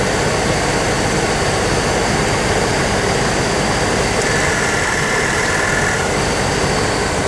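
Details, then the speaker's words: 1997 GMC Savana at idle on max AC during an R134a recharge: the engine pulls down briefly each time the compressor cuts in, and it keeps cycling on and off from a low refrigerant charge. "The idea is to get it to run longer on the compressor instead of cycling on and off. And the freon will do that when it gets in the system."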